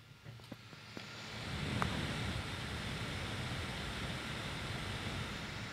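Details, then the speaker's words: Surface Pro 4 i5 tablet cooling fan at about maximum speed, mic held close, after ~30 minutes non-stop Fire Strike benchmark, max screen brightness, while charging; soft airy whoosh swelling then holding steady; normal fan at full load. "so now just have a look at how the fan noise is so this is probably about maximum fan noise at the moment"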